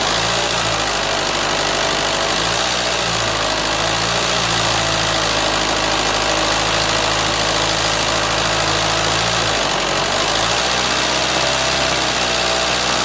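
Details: 2004 Renault Scenic 2 1.9 dCi diesel at steady idle: a fast, uneven metallic tick over the normal clatter; abnormal engine knock, cause unknown, engine removal and replacement planned.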